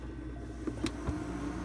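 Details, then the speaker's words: GE/Hotpoint refrigerator evaporator fan motor (WR60X10141) for a not-cooling freezer, new fan running before refitting: soft steady hum with a couple of light clicks, no scraping or labouring; spins smoothly, slower than it sounds. "I mean, it sounds like it is, but it isn't."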